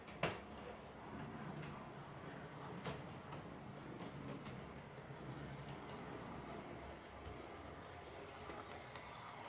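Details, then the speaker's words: Class 56 model locomotive (new, recently bought), test-run on the track after earlier issues (suspected fan problem or needing running in); soft even hum, odd light track click, no rattle left. Runs quiet and smooth. "So I'm just going to let her run a little bit. She's as good as gold now. I'm still test running her."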